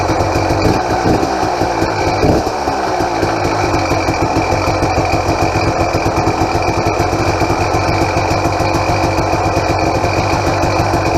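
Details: 2007 KTM XCW300 two-stroke, totally cold and on choke: a fast, regular ticking rattle rides over the idle without letting up. The power valve is louder than usual and was not rebuilt; owner suspects it needs a bushing.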